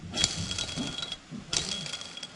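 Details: Engine with 30 years of grime, stripped down, crank turned by hand with a bearing that needs removing: gritty, scratchy rasp in bursts with no smooth spin; worn crankshaft bearings, all bad, though the piston and cylinder were like new.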